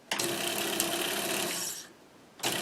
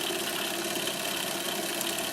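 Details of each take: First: Monroe LA-5 motorized mechanical calculator, first run in decades: motor runs in roughly two-second bursts with a rough, raspy buzz; sounds like it is dragging on something, cause unknown. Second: Monroe LA-5 motorized mechanical calculator, first power-up in decades: even, high-pitched whir with faint crackle, likely governor sparking, speeding up then steady at speed; may be dragging slightly.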